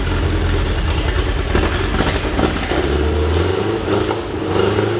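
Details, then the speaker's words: Toyota Corolla KE25 carbureted engine run on brake cleaner sprayed into the carb, with fresh fuel and spark present: uneven, stumbling idle that surges and sags, revs hanging, carb briefly stuck open; rough running, owner suspects ignition timing is out. "there you go it does run that is quite surprising so it doesn't rev very nicely and the um carby actually got stuck on at the very beginning there"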